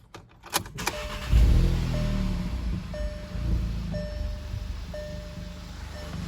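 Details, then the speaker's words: 2015 VW Mk7 GTI EA888 at idle just after installing an EQT coil grounding kit, which the owner hoped would reduce occasional knock: catches and settles into a steady, even idle under a door chime, no misfire, seemingly a tad cleaner. "It's hard to tell, but it sounds like it's a little bit more consistent. Sure, there's no like. I mean, you want to be able to tell anything from up here, but it seems like it's idling a tad cleaner, but whatever."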